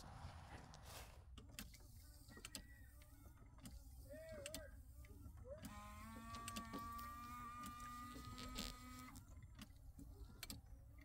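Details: 17-year-old Newmar Mountain Aire motorhome after replacing the driver-side wiper whose shaft broke in two: quiet cabin, soft motor hum and repeated sweeping thumps; wiper working normally.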